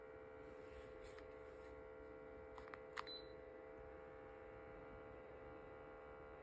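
A faint, steady hum with a thin tonal whine and a couple of small clicks; this humidifier is noisier than it should be, cause unclear.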